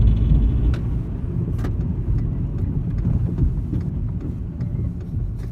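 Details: VW Golf Mk5 while driving: irregular light clatter and knocks over heavy low road rumble, loose rattle from underneath; heat shields and exhaust mounts checked, bad gearbox-side engine mount since replaced but rattle remains; driveshaft noise also suspected when turning right.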